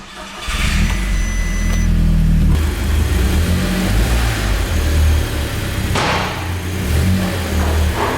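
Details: Cheap Audi S3 after an engine swap, first start-up: brief crank, catches cleanly, settles into a smooth even idle with crisp revs; sounds healthy.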